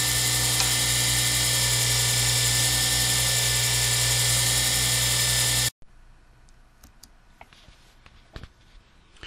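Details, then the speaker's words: Lathe turning a circuit board blank for a Zodiac pen kit: steady motor hum with a high-pitched electric whine and no cutting chatter from the plastic, then cuts off; lathe running smoothly. "as you can tell there's almost no sound of turning you hear the Eng the motor of the uh lathe running but you really don't hear me going across that plastic at all"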